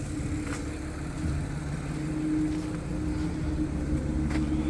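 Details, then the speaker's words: 2012 Audi A6 3.0T (C7) after new low-pressure fuel pump installed for an engine warning code: smooth steady idle, even low drone, no misses, ticks or knocks; sounds good, normal idle. "there we go [Music] that's it sounds good"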